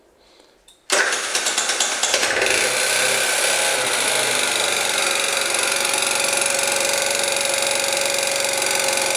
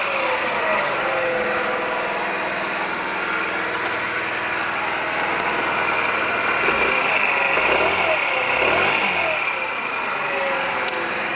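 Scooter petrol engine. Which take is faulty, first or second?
first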